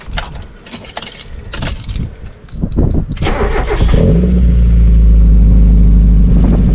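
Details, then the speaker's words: Mazda MX5 engine, cold start with seized alternator awaiting replacement, fluid levels okay: cranks then catches to a deep throaty idle with faint quick ticking; a bit tappy, light valve tick from cold suspected, not confirmed. "so as you can hear it does sound quite throaty it's a bit tappy but the levels are okay"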